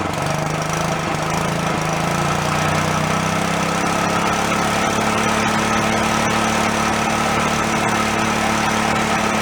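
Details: Long-stored Yerfdog go-kart single-cylinder, now running on its own without thumb-choking: steady, even buzz, speed lifting slightly then holding; owner thinks a blocked carb passage or vent suddenly cleared.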